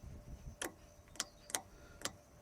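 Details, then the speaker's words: Second old chemical transfer pump, parked about 4 years, wired to the owner's battery: four sharp dry clicks about half a second apart, motor never spins; battery found at only 6.3 volts, suspected cause of not running. "Well, I think I might have found the issue. My battery's only at 6.3. No wonder it's not going."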